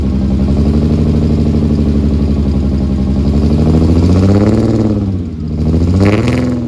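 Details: Rebuilt VR6 (new crank, rods, pistons) first cold start, microphone at the exhaust, no coolant yet: rumble rising and falling with throttle blips, slightly uneven pulse; misfire of unknown cause, owner suspects a disconnected wire.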